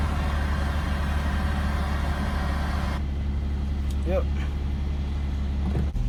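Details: Infiniti M35, VQ35DE, just started after new valve covers, oil cooler seal and coolant line replaced: steady even low rumble, no knocks, misses or ticks; smooth idle, oil in the head to burn off, check engine light gone.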